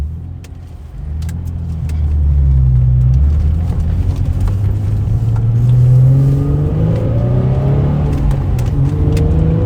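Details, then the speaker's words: Infiniti G35 test drive right after installing a welded rear differential and new axles with spacers: engine pulls up smoothly, no whine, hum, clunk or wobble from the rear; new diff sounds normal. "No noise! Hell yeah! No wobble? Oh, dude! Wow. Thank God."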